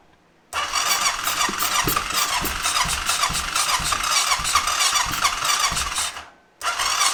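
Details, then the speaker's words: 2005 Honda TRX650 Rincon, 650cc single-cylinder four-stroke, air filter removed, choke pulled: slow, labored cranking about twice a second that barely catches as the battery winds down. Hard start; cause suspected but not confirmed, and compression seems good. "our battery is starting to uh wind down so I think I'm just going to let the machine set and charge the battery up for a while"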